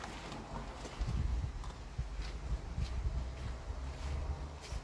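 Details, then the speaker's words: Audi A4 B6 1.8T petrol, after replacing ignition coils (one found faulty) that caused misfire and jerking under acceleration: started right away, faster than ever, low steady idle rumble with even beat, no stumbles or skips; normal idle. "Well, let me tell you, there is a difference in lighting. It fired up right away, faster than ever."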